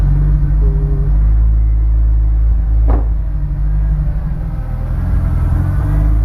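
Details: Honda S2000 with new spark plugs: deep idle rumble with an irregular, lumpy beat and a brief rev; the engine stumbles, a misfire.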